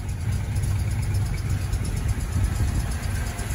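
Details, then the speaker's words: 1978 Plymouth Volare Super Coupe, unrun for about 3-5 years after a decade of sitting, started with fuel poured into the carburetor: deep, steady idle with an even beat and no misses, knocks or ticks; normal idle. "runs beautiful this car is like new"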